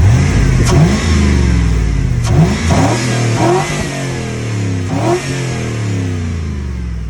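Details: 5.3 V8 in a 2000–2006 Chevy Tahoe, just after a cheap eBay cold air intake was installed: deep rumble through several quick throttle blips, dropping back smoothly with no knocks or misses; normal healthy revving, sounding better with the new intake.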